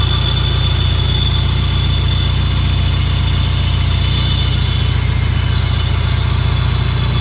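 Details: Peugeot 306 GTi-6 at idle: steady idle with a thin high squeal riding on top and a quick light rattle; owner asks what the rattly screechy noise is, cause unknown.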